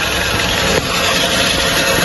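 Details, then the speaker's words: Hyundai Creta idling with a steady, raspy whirring rattle that appears when the clutch is released: the clutch release bearing, found broken and replaced along with the clutch plate and pressure plate. "है ये देखिए clutch ने छोड़ने में जो आवाज कर रहा है य कलच रिलीज वायरिंग का आवाज जिस से य न हो रहा है इजन रनिंग में"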